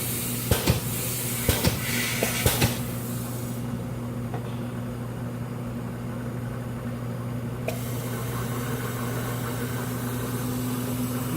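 Even low hum with a steady tone and a few light clicks early on; spindle and arm running smoothly, nothing rubbing.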